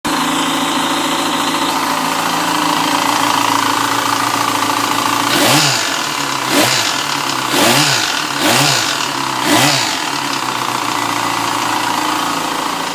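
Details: 2007 Yamaha FZ6 inline-four idling with steady light metallic chatter under sharp throttle blips; a piece of clutch wedged between crankshaft gear and clutch basket gear damaged them so they don't mesh. Fixed by swapping in a used engine.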